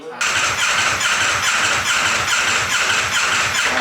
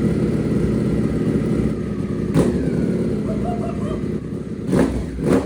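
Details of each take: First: Wrecked 2024 Ducati V4 Panigale rebuilt as an off-road bike, first start, full tank. Engine catches but runs uneven and ragged with a lumpy idle; owners suspect limp mode or bad, stale gas, not confirmed. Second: Rebuilt 2024 Ducati V4 Panigale off-road build, started briefly on open headers, no exhaust. Very loud raw bark with sharp throttle blips rising and falling cleanly; the engine runs strong and normally, untuned.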